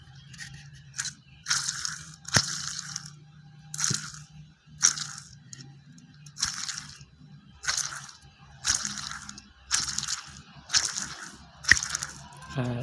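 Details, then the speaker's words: Car engine "snoring" (ngorok) noise traced to a belt tensioner with two bearings, both worn. Spun by hand, they give gritty, crunchy bursts about once a second, one rougher than the other. Fix is replacing only the bearings (Koyo), not the whole tensioner. "di dua kedua lahar ini ee keduanya sudah rusak ya suaranya kasar kasar seperti ini tapi yang ini masih lebih mendingan suaranya dibanding ini ini lebih kasar"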